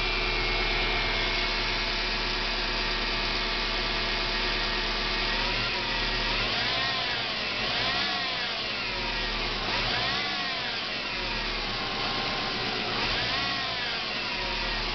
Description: My car making annoying whine sound.